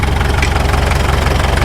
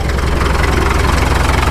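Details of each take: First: 1951 Caterpillar D2 crawler diesel after first start: slow loping idle with heavy even thumps near stalling; engine shuts off before reaching low idle detent, low idle set too low, fixed by turning low idle screw. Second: 1951 Caterpillar D2 crawler diesel, first start after checkover, fuel pressure low (suspect transfer pump or filters): even low thump at steady idle, about eight pulses a second, no misses or knocks, no smoke; healthy idle.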